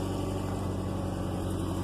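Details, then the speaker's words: Subaru Outback with an EJ engine that ran low on oil, revved to about 2,500 rpm: a fast, regular low clunk or knock under a deep rumble. It rattles at first and more when driving; rod knock is suspected, but the owner thinks it's the timing tensioner. "Did you hear that clunk because I got up to about 2,500 RPM? I don't think that's rod knock. Definitely not right, whatever it is."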